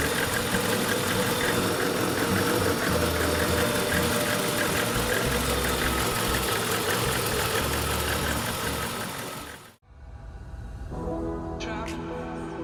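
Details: VAZ 21099 (Lada) idling with a steady, even beat and no knocks or misses. This is after a fuel pump no-start caused by leftover alarm wiring was fixed and the plus-carrying jumper was insulated; healthy idle.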